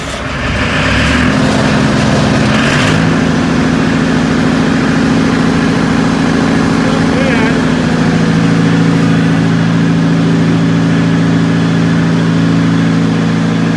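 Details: Circa 1980–81 Bobcat 843 with Perkins 4.15x diesel, rebuilt injectors, electric fuel pump: loud steady-speed drone with an uneven, shaking beat; hits on all cylinders with even exhaust temperatures, but rough running, cause not pinned down.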